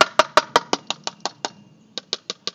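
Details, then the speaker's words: Fiberglass boat stringer/honeycomb-core panel tap-tested with a pocket knife: sharp ringing clicks turn to a dull thud where the fiberglass has come unglued from the core, a disbond. "now once you find a disc bond you hear how that it's a dull thud right there"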